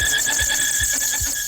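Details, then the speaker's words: 2018 Subaru WRX STI boxer engine with AC belt removed, main drive belt still squealing: loud steady high-pitched squeal over faint engine beat; accessory belt squeal from failed harmonic balancer, fixed with new balancer and belts. "We tried to figure out which one was squeaking, so we removed the AC belt, and as you can hear, it's definitely still squeaking."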